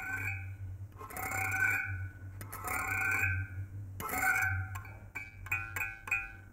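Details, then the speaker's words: Antique mechanical reed frequency meter (scale 45 to 55) on 220 V AC via a variac; its steel reeds are driven by two coils. A thin, wavering buzz, a harmonic of the frequency, rising from low to high in pitch. Normal operation. "course the sound you hear is some harmonic of that but you can hear how the sound is actually raising from low to high"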